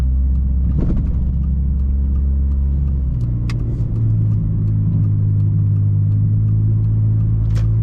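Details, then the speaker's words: 2002 Mitsubishi Lancer with four-speed automatic, driving: deep, steady low rumble from under the car, nearly constant and thickening over bumpy roads; cause not yet found, due for inspection. "you'll hear like this weird rumbling noise coming from the bottom of the car"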